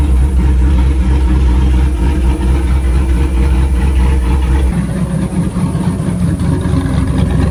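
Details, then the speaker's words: 2008 Chevrolet Silverado V8 at idle after swapping cobbled shorty headers for stock exhaust manifolds, a new Y-pipe/catalytic converter and a welded 3-inch chambered-muffler exhaust: a deep, even rumble with regular pulses and no ticking or puffing at the joints; no leaks, healthy. "yeah sounds good all right so check for leaks no leaks around the mating surfaces to the manifold to the wipipe it's sounding great I'm super happy with that to be honest that's awesome"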